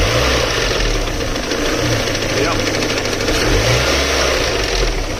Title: connecting rod, spun bearing or something else? what can be done to fix this?